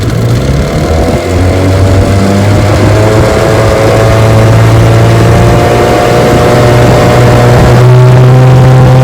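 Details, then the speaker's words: Restored 1968 JohnnyRude 9.5 HP outboard with rebuilt carb and gear case, on the water pushing a 14-foot Feathercraft about 17 mph; steady, even drone under load climbing slightly without misses or rattles; normal running under load. "She runs just fine. Pushes my 14-foot feathercraft about 17 miles an hour."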